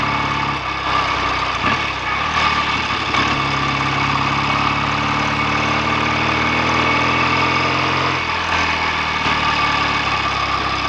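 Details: BSA A65 twin on a roughly 6-mile test ride after a fix: clutch spring preload increased to stop clutch slip, and carbs and plugs drained and cleaned to cure a misfire. Steady, even idle with no misses; clutch no longer slips and the exhaust is clean.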